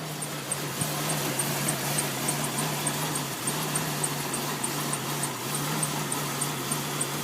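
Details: 1999 Jeep Cherokee XJ at cold startup idle: small periodic dips and a thin chirp from a squeaky fan belt. The engine misses and rpm fluctuates, with the TPS reading jumping from 0 to 17 at idle.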